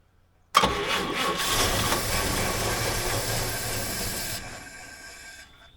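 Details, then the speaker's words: 1951 Chevy sedan, 216 straight six, stored six years, fed gas down the carb from a bottle: catches right away, runs a few seconds, then loses power and stalls. Owner suspects fuel pump issues and debris in the fuel system. "it I was trying to keep it going as long as I could on the bottle but it's I think it's having fuel pump issu there's a lot of stuff in the system"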